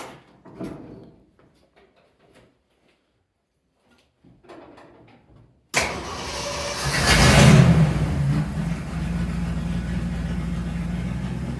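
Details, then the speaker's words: 1971 Ford Highboy pickup after carburetor rebuild and choke fix: fires and catches into a steady, even idle raised on choke, smooth with no misses; oil pressure and charging fine. "Would you look at that? Running smooth as a button. You can balance a quarter on top of that engine right there."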